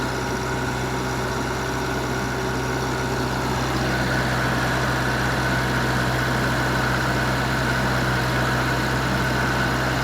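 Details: Wisconsin VG4D four-cylinder engine running on propane, driving a 15 kW Kohler 120/208 V three-phase alternator plus transformer, revived after auction: constant even drone with low throb, no misfires or surging; normal running.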